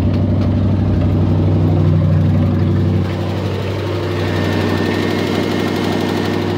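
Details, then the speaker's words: 360 5.9 V8 idling rough and really high: fast, uneven beat stumbling and surging; vacuum leak at the PCV valve, being fixed with a tee adapter and line, capping off the port. "all right so um right now I'm working on my vacuum because my car was piling rough and Eiling really high"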